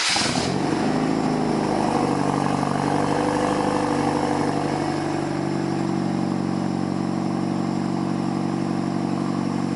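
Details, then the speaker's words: Hyundai Genesis, boosted, after fixing a major exhaust leak: steady even idle with a smooth low note, no ticking or puffing; only leak is the intentional dump valve. Normal idle. "Alright guys, so this sounds 10 times better than what it sounded like. I don't really hear any exhaust leaks except for the one that's on purpose, which would be from the dump."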